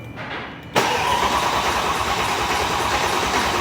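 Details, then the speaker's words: Rebuilt Mercedes-AMG M156 V8 in a C63 507, first crank after reinstall, new trunk battery, coil packs unplugged: steady cranking without firing and light valvetrain ticking as lifters fill with oil; normal oil priming. "you can hear the lifter's building up oil"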